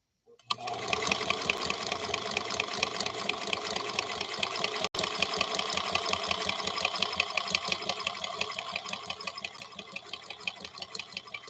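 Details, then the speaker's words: Singer Centennial Featherweight sewing machine, restored, sewing 100% cotton thread at a higher speed with a smaller stitch; fast, even, bright needle chatter holding steady rhythm; running smoothly and healthy. "And again, I'll take it a little bit at a higher rate of speed because we're dealing with cotton, which is what this thread was born for."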